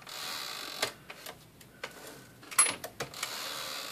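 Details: Smith-Corona Sterling typewriter, return and escapement checked. Sharp, uneven clicks and clacks over a quiet hiss as the carriage steps; the escapement pawl is noisier than normal, likely from an expanded rubber spacer.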